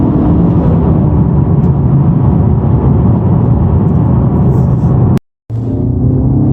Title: Honda Civic Type R buzzing sound when clutch depressed